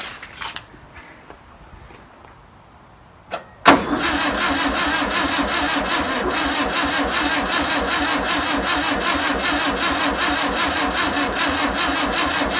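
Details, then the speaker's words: 1962 VW Type 2 bus engine, first start after sitting over 40 years, with spark, new belt, cleaned points and fuel poured in: quiet cranking, then it fires and holds a steady, fairly even rattly idle at about 2.5 beats per second; normal. "wow it's crazy man I can't believe how good it runs"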